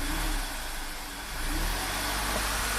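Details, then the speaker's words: VW Tiguan turbo GDI after new high-pressure fuel pump and oil change (fuel in crankcase), flashing check engine light, misfire codes on cylinders 2–4, surging at idle: steady even hum just off idle, no misses; carbon on valves suspected. "But right off idle, it's dead smooth. It's fine. But there might be carbon on the valves."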